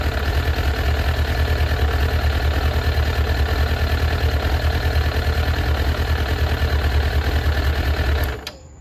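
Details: Suzuki Katana GSX-F 600, choke fully on because it won't run without it: slightly lumpy, uneven low idle before cutting out. Unplugging cylinder 4 made no change while 1–3 did, so cylinder 4 is likely dead.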